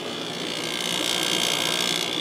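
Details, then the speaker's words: 1996 Holmes 5200 BTU air conditioner made by WCI, three-speed McMillan fan motor, LG compressor, rated 6.2 A / 635 W: soft, steady airy rush on low fan, even tone, no rattle, hum or scraping; normal, extremely quiet fan. "put on the medium and low and fan is extremely quiet on low speed"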